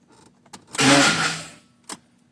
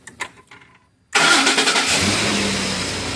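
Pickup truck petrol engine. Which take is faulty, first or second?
first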